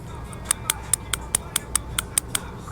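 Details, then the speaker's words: Variable intake solenoid tested for P1801 code with Power Probe, power and ground applied: ten crisp, evenly spaced clicks about five per second in quiet surroundings; the solenoid works fine. "And then when it touches the ground, that should send continuity through the solenoid. And you'll hear a clicking sound."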